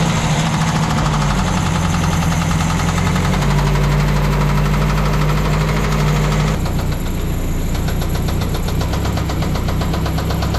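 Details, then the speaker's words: 1986 Mazda B2000 idling after a compression test, Marvel Mystery Oil added and a new valve cover gasket fitted: heavy uneven knocking slap two or three a second, a rod knock, owner says it threw a rod. "well I pulled it out of the garage and I was letting it idle and uh we've got a pretty pretty big problem here uh threw a rod right through through the"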